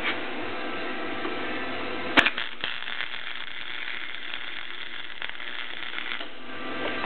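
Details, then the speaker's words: Clarke 130 flux-core MIG welder welding steel tubing brackets: an even, steady crackle like frying bacon for about four seconds, showing the wire feed speed is set correctly. "hear how that sounded like uh crackling bacon that's what you want it to sound like that way you know you have the uh you got the speed of the wire feed set correctly"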